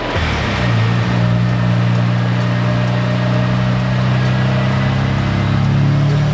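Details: Mazda FD RX-7 rotary on the dyno during a tune: steady, smooth drone with even pitch and no slipping flare or rough patches. After this pull the clutch was found fine, and the problem was just the pedal.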